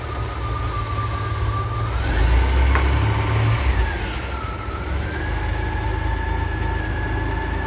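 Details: Ford F-Series highboy truck "Fiona 2.0" on maiden test drive after complete engine and gearbox replacement (old motor threw rings, puked oil); steady, even engine note pulls away into smooth cruise, no knocks or stumbles; healthy.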